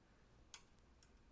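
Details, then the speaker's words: 2005 Dodge Ram 2500 trailer light relay bench-tested with 12 volts across the coil: only a tiny faint click and fainter ticks, no solid snap, unlike the good relays; relay is bad and causes a dead trailer turn/marker light. Failed relay. "No relay actuation. Or it makes a little tiny click and then just doesn't go. So this relay right here is bad on this."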